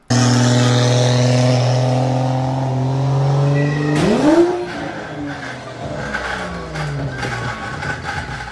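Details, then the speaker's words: Car during a burnout: engine screams at steady high revs with tyre squeal, then a sudden bang and revs flare and wander. Loud bang and loss of drive, driveshaft suspected; possibly faked. "sounds like driveshaft to me that sounds like driveshow"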